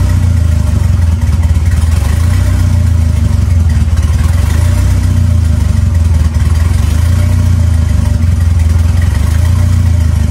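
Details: 2.3L turbo four Lima-swapped into Smokey on PIMPX batch-fire engine management, warming up for base timing check; deep, even rumble holding steady, no misses, knocks or rattles; normal warm-up idle.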